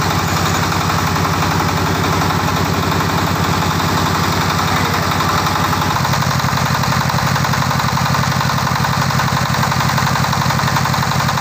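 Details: Tiger 24 (D24) single-cylinder diesel with radiator fan and electric start, copper radiator: loud even thump about three beats per second, no knocks or misses; normal idle.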